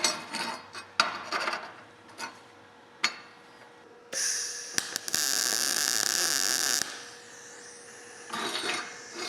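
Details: Everlast PowerMTS 141Si 120 V inverter multi-process welder, MIG at 160 inches per minute wire speed, voltage raised to 21 V: a few seconds of steady even frying crackle with no pops or breaks, a normal MIG arc.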